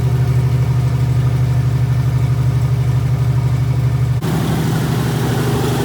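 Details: Freshly rebuilt 1977 Toyota 2F engine (new rings, bearings, head shaved 0.40, new carb, headers) in a 1982 FJ45 pickup, break-in at 1,500 rpm for 15 minutes: even fast idle, regular low beat, tone shifts near end, no knocking or misfire; normal.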